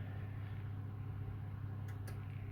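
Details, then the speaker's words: AEG 49106IU-MN double oven after top oven grill element replacement: low, even cooling-fan hum with a couple of faint clicks, no rattle or scrape; working perfectly. "and it's working beautiful now, look, perfect."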